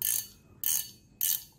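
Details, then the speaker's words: Reel no. 6, with 4.2:1 gear ratio, spool released: three crisp bursts of rapid bright clicking about 0.6 s apart, then quiet; clean, healthy spool-release ratchet. "Nghe nghe mô bin nó xả thì nhức cái răng luôn á chứ không phải thường nè."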